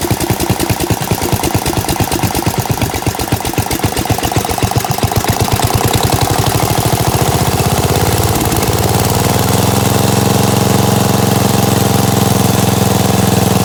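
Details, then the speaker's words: Gravely 816S with a 16HP Briggs and a replacement Chinese carburetor, rigged-up ignition, first run after about a month: even popping that settles into a smooth steady hum without hunting; normal idle. "that's cool man sounds pretty good huh got my rigged up ignition here if i unhook this it should stall"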